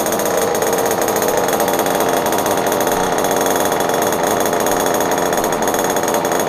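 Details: Kyosho Inferno Neo nitro RC car, pull-start, run indoors in a kitchen: small engine screams along at a high, steady buzz with no misses or stumbles; healthy running.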